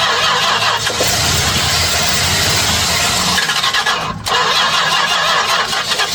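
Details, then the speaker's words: 1967 Chrysler Newport sitting for years, fuel not yet drawn from the tank, more fluid poured down the carb, a vacuum line still disconnected: starter cranks briefly, then the engine catches and keeps running with a rough, even idle. "All right. That's a starter. It runs."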